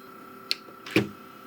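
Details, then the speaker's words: Original Xbox console, disc tray won't open on eject: two dull clunks about half a second apart in a quiet room, tray motor working but slipping; likely worn old disc tray drive belt. "but it does sound like something is working there's some clunking"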